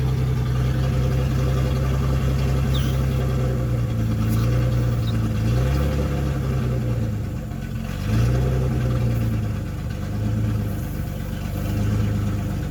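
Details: 1976 Datsun 280Z, first start after sitting four or five years, exhaust removed: loud open-header bark at idle with throttle blips rising and falling evenly; healthy; won't restart hot, owner suspects distributor.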